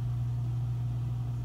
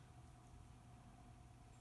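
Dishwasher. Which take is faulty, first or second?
second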